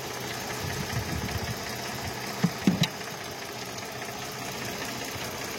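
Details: Mercedes-Benz AMG with 6-cylinder V6 engine (663), complaint of misfire and no pickup: idle stumbles with irregular lumpy beats instead of steady hum; one bank's three coils found dead, nearly all coils bad.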